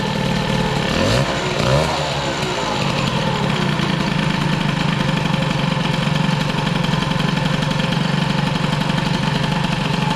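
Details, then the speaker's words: Peugeot 103 with Airsal 65 cylinder, mixture screw closed yet still enriching, carb jets unknown; crackling idle, and a quick blip bogs muffled before settling back; suspected over-rich carburation, idle probably to be lowered. "en tout cas là on avise de richesse fermée et ça s'enrichit encore on entend la machine dès qu'on met un coup de gaz c'est"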